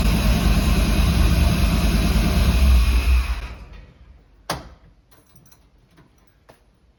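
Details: '64 Ford F100 restomod with a 6.0 L96 LS V8 and Holley Terminator X, started after rewiring to check for oil leaks and the new oil pressure gauge. It catches and settles into a strong, even rumble with no misses or knocks, then shuts off. No leaks, and the gauge read well.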